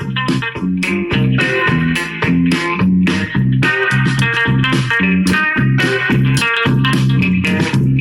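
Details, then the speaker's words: Cheap AliExpress TDA-based amplifier board cranked up loud: clean music with no hum or buzz, a reasonable sound, so the amplifier is working normally. "yeah that's actually a pretty reasonable sound um considering that the speakers"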